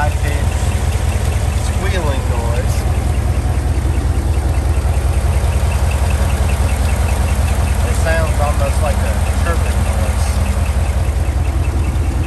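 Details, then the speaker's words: 2015 GMC Denali L86 6.2L V8 with displacement on demand, 114,000 miles, noise began intermittently around 110,000 and is worsening: steady idle with a faint, regular high-pitched tick and squeak that changes with rpm, from a failed roller lifter. "A bad lifter noise is gonna sound kind of like a high-pitched squeak. So we're going to start it up and we're going to listen to it. It also will change with the engine RPM as it changes."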